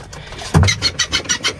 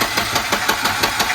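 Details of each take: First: Volvo 122 Amazon used as the battery donor while the red 240 turbo sits: quick run of starter cranks, catches within two seconds and settles into a steady, even idle; healthy normal start. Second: Long-stored red Volvo 240 turbo, fuel system just rebuilt, cranked via a remote starter button: steady starter churn, even pulses about six a second, never catches; long cranking without firing.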